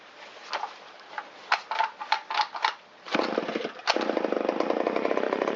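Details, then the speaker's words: Shindaiwa 360 chainsaw with Walbro WT-89 carburetor, long-stored, after repair with the low-speed mixture leaned a quarter turn: a few sputters, then catches and holds a crisp steady buzz as rpm comes up; normal running. "Wow, it likes that. We can hear the RPM come up a little bit."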